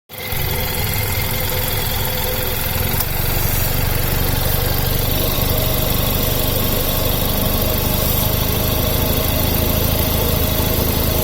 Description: Belt still squeaking at idle. New belt and tensioner